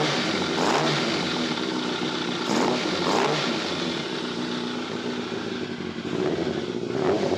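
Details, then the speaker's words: Yamaha FZR600 Genesis with suspected noisy timing chain, after checking the automatic cam chain tensioner: light uneven metallic rattle still present at tickover, quieter than before, source hard to pinpoint; engine rattle, cause unconfirmed. "it doesn't sound as loud but it's not cool you feel it yeah it's hard to say it doesn't sound as loud it's hard to distinguish where the noise is actually coming from"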